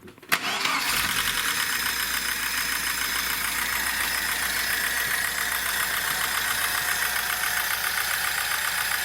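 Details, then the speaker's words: VAZ 2106 (approx. 1975) with 1300 engine, 4-speed gearbox and electronic ignition, started and idling in neutral: fast light metallic clatter from the top, the valvetrain. "слушай может сверху даст звук идет за распределительного механизма"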